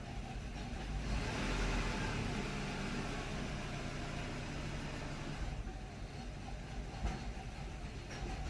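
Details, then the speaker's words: 2008 Subaru Outback EJ25 2.5 L non-turbo, 5-speed, ~96,000 miles, hot and heat-soaked; uneven loping idle with ragged low rumble, worse with heat soak, raising idle to 1,800 rpm helps: rough idle from failing ignition coil. "it helps but it's really just idle that's the problem she just don't want to idle and she'll just do that and the more it gets heat soak the worse it"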